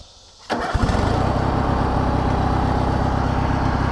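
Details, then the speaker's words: 19.5 HP Oppy riding mower being revived after being thought beyond repair: engine catches within a second of cranking and settles into a steady, even idle with a clean regular beat; fired up easy, no smoke. Normal start and idle. "Dude, she fired up easy, too. And it's running good."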